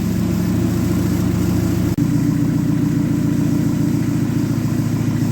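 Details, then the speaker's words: Dodge Neon stock car after crash repairs, idling during transmission fluid check after washers fixed a part: steady, even low idle, firm rumble, no knocks or misses; normal idle. "It's all good. So she's running good."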